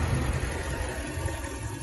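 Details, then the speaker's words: 1998 Ram 1500 V8 Magnum, previously cranking with no spark or fuel, after replacing cam and crank sensors, rotor and cap: starts and settles into a deep, steady idle, no misfires or ticking. Normal idle. "If this starts, there we have it. There we have it. This was the solution for it."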